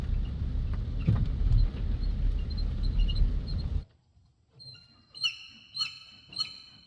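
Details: BMW E70 X5: after the engine rumble stops, sharp, high, bird-like chirps repeat about every half second. Chirping noise, source not identified.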